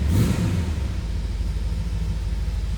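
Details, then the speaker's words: 1967 Chevrolet Camaro RS coupe cold start with the key: it fires right off instantly with a quick flare, then settles into a steady, even pulsing rumble, a clean, healthy cold start. "Let's go ahead and fire this up. You just touch that key and this thing fires right off. Sounds good too."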